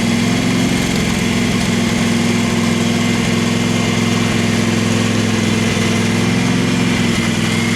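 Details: Craftsman FS 5500 lawn tractor engine idling, after the breather was blown out: a steady low rumble with an uneven, loping beat. The owner says there is dirt in the carburetor and plans to clean it.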